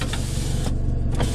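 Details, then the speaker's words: PT Cruiser GT power window: motor drones low and labored with no smooth travel, sounds like straining against a binding regulator; owner fears something will break. Power window motor straining. "it just don't sound right. I don't dare roll it down any more than that, because something's gonna break."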